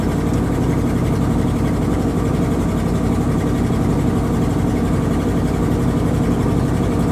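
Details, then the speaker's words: 1979 Dodge 100 truck, cold start after choke fix (previously stalled right after starting): steady, fast, even high idle with no misses or knocks; normal cold high idle, taken off high idle after about 30 seconds. "Alright, give it about 30 seconds. So let's take it out of high idle."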